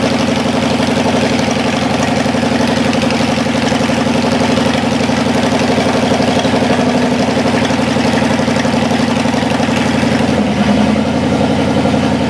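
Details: Cadillac 390 V8 after sitting 8 years, still cold, not yet tinkered with: steady, even idle a touch fast, no knocks or misses. Carburetor leaking less, water pump leaking. Slightly high cold idle.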